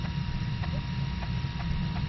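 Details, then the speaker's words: Traxxas X-Maxx RC truck steering servo at full flex while setting endpoints: steady low buzzing hum with a faint high whine; the servo is stalled at the end stop, struggling and still drawing power. "right now we're in full flex you can see that you can hear that right now this servos that's all the way up that's you can just hear it struggling right now"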